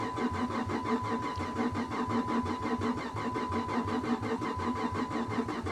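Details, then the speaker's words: Salvage 15K-mile Chevy Camaro SS on a booster pack, fuel pump heard running constantly: the starter spins in an even chug of about four to five beats a second but never fires. Cranks, no start. "it almost sounds like it wants to [Music] no i'll try it one more time guys i'm not gonna kill my booster pack over this car i'm just not"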